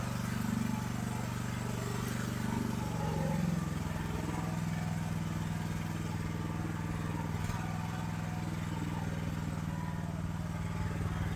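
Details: AGT LH12R mini excavator with RATO engine, governor adjustment to lower idle: steady low-pitched drone that drops slightly partway through; high idle speed.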